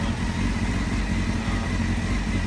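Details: Rebuilt crashed 1991 Honda CBR600F2 four-cylinder, just started and not yet warmed up. A steady, even idle with no knocks, ticks or stumbles and a constant pitch means the engine is running normally.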